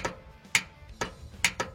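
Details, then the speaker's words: Sharp dry uneven clicks, about three a second, from starter relay with no cranking, after new ground strap and with jumper box; owner suspects seized starter. "So, I can hear the starter relay, which is this right here, clicking. And when you connect the terminals, you can hear it"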